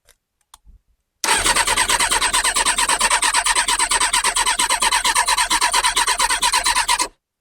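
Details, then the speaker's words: Kawasaki ZX6R G1 after carb cleaning, with a jump pack fitted: fast, steady cranking with even compression pulses for about six seconds and no firing; spark confirmed, owner suspects fuel supply. "not a sausage I was kind of hoping the carb clean would make it spark off little bit of backfire almost kind of starting but not"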